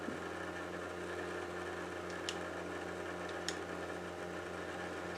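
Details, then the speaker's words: Xbox Series X disc drive spinning up and reading a game before repair: steady whirring hum with sharp ticks, possibly starting and stopping; drive obnoxiously loud, abnormal. "all right hopefully I can capture how loud this disk drive is uh before I try to fix it"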